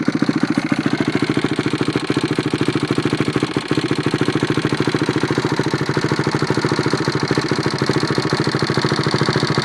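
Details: Engine started for the first time after a rebuild: steady, even exhaust pulses about three and a half per second without stumbling; normal idle.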